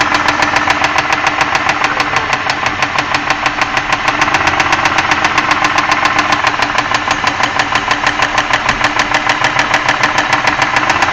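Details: 2001 Ford Escape 3.0L V6 at idle: steady sharp knocking about three beats a second over a rough idle from inside the engine; cause unconfirmed.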